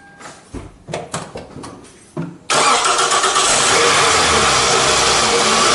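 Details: Car started after the battery was reconnected: a few clicks and short cranking bursts, then it catches at once and settles into a strong, steady run. Normal engine start.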